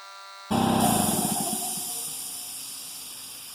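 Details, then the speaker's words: Harbor Freight Central Pneumatic 1/2" air regulator on vapor blast cabinet: sharp burst of air then steady fading hiss; leaks air when it should be closed. "But you can hear it. Hear it? It's not supposed to leak any air out of here."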